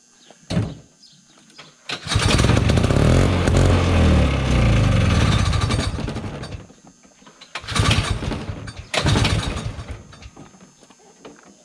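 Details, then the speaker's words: 1971 Massey Ferguson Ski Whiz 300s snowmobile, JLO single-cylinder two-stroke, sat 20+ years, likely choked: catches, runs ragged a few seconds, dies; later pulls only sputter; possibly dry pump diaphragms, fuel starvation. "The diaphragms and the pump can be rather dry. This is where it's awesome to have two people. There's still not enough fuel."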